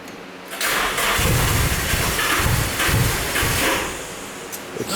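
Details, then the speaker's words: Nissan 350Z DE single-turbo build with igniter chip bypass, ECU stuck in open loop on the tune: uneven cranking with irregular pops and spits, never settling to idle; flooding from earlier cranking suspected, black smoke, running very rich. "You think maybe from the previous times you were cranking you flooded too much and there's too much fuel because black smoke is fuel so it's really rich right now."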